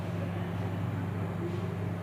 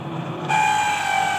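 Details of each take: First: Dawlance microwave oven after the cooling fan repair, tested on a 1-minute timer with a cup of cold water; constant low smooth hum without scraping or rattling, abnormal sound gone — normal fan running. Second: Dawlance microwave oven running: steady hum with thin, constant whistle-like whine on top; abnormal sound from cooling fan, dry fan motor bearing.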